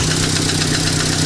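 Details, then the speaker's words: Chevrolet Cruze at 239,000 km, warm idle: a steady quick light knock rides over the engine note. The piston is slapping as it changes direction because part of the cylinder 2 piston skirt has broken off. The endoscope showed good hone and no scoring. "слышно как поршень стучит во время перекладки откололась часть юбки поршня"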